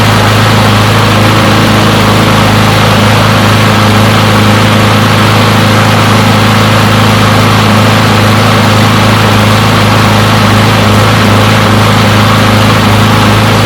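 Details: Push mower, non-running, finally started and left running to warm up: steady, even small-engine drone at constant speed, no misses or surging; runs pretty good.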